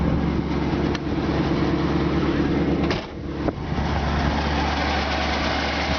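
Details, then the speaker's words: 1964 Ford Galaxie 500, one owner, 45k miles, V8 idling smoothly under the hood with A/C compressor running, just after a full tune-up; no exhaust leaks, idle slightly high and needing adjustment down. "can hear the engine just first like a kitten no exhaust leaks it does sound like the idol is just a touch highway"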